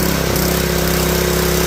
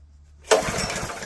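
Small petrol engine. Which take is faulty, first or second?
second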